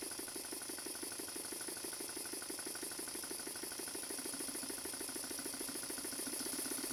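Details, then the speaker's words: Stuart Models No. 10V model steam engine, a former non-runner, running after repair with slight crankshaft end float: quick, even exhaust chuffs at a steady rate with no knocking or stumbling, running smoothly. "I'm going to leave you with the engine running"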